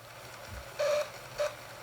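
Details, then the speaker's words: Two short, harsh squeals near 600 Hz from the motor of a second-hand Bachmann Blue Peter model locomotive on track, a dry motor bearing screeching; fixed by oiling. "it screamed and screened it has a dry bearing you can tell a dry bearing from the the noise it makes it's it's horrible"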